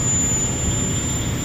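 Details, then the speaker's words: Audi A4 with a no-start, fuel pump powered directly from the battery: steady even electric whine over a low hum, motor runs fine; fault traced to a failed fuel pump control module. "Battery నుంచి fear pump connection ఇచ్చి చూస్తున్నాము motor పనిచేస్తుంది చూడండి"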